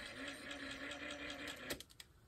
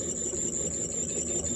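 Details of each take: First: Ford Model A generator bench-tested as a motor under applied drag: steady, even whir with a constant low hum, no stumbling, scraping or slowing; generator healthy, contacts clean. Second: Ford Model A generator bench-tested by running it as a motor: a steady high squeal over a low dry roar from the rear bearing, which is dry or worn with no oiling point, so it needs repair.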